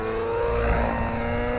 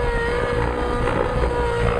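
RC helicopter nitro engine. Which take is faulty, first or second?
first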